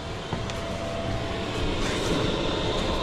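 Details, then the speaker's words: Lavaner Alpine Pro diesel air heater in skoolie conversion, fuel tapped from existing diesel tank, fan set at highest: steady even rushing roar with faint hum and fuel pump clicking, no knocks or rattles; heater running normally, smells of diesel. "If you can hear that clicking, that means the pump is working. Can you hear it?"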